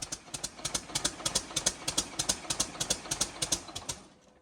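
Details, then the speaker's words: Freshly rebuilt Caterpillar C11 diesel, second start attempt: steady starter cranking at about three beats a second with no firing, then winds down; not enough fuel pressure, air in the system suspected, to be primed with the electric primer. "So we're not getting enough fuel pressure for the engine to start properly."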